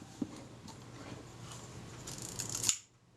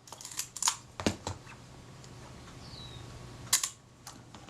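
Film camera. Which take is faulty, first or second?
first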